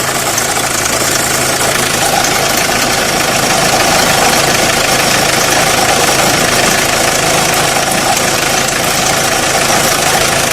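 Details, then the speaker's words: Renault Clio 1.5 dCi diesel: loud, harsh idle with fast, fairly steady rattle about three beats per second; shaking and noise only at idle, disappears above 1200–1300 rpm; cause unconfirmed, tensioner suspected. "البروبليم الموتور يرعش غير كي يكون في الرالونتي، كي يبدا الموتور تاكسيليري شويه فوق 1200 1300 تور بار مينوت يروح الصوت هذاك."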